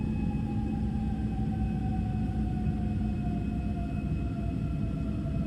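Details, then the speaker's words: Airliner cabin during the climb after takeoff: low rumble under a steady engine tone that slowly sags in pitch as the pilots reduce from takeoff thrust to climb power; normal, not an engine failure. "the next sound is probably the most concerning of all and that's when you're in the climb and then all of a sudden you hear the engines start to spool down and sounds like they're starting to stop working"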